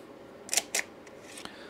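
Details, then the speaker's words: Original Macintosh 128 floppy drive: two sharp clicks then fainter ticks; spins up then stops, head returns to track zero and ejects the disk, failing to read it. "well it spun up and then it just stopped and now it doesn't spin up again and if we move the head it goes back to track zero and then ejects the diset I can still hear that ticking"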